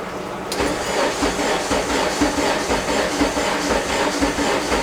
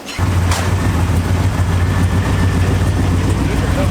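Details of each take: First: Integra after sitting about three months, right-hand-drive conversion and rewiring: starter churns at a steady two beats a second for several seconds before catching; long crank, owner suspects a weak fuel pump. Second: Integra idling after being reassembled with the exhaust previously straight-piped off the headers: steady even idle with a smooth low burble, no rasp or blat; normal idle, much quieter than before.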